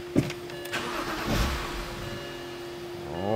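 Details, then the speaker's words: 2007 BMW 328i with N52 engine and a crank-no-start condition: steady starter whir with no firing, running only on leftover fuel-rail pressure; the fuel pump is getting no power supply. "it is still trying to start because it's got a little pressure in the rail from our previous test but we can see we've got no power supply to that fuel pump"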